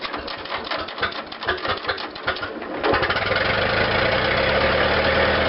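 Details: Restored Farmall Regular tractor, choked two half turns then unchoked, spark at half, throttle set, impulse engaged; slow uneven cranking for about three seconds, then catches and settles into steady even idle; normal start and idle.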